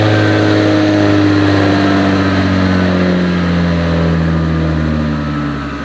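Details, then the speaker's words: JZ-swapped turbo BMW on first start after fresh oil: smooth, steady engine note holding revs with a faint turbo whistle riding over it; running clean. "I'll fix that you hear that TBO that first start it did start right up though I'll give him that you hear that turbo whistle yes it's crazy isn't it that sounds so freaking cool dude"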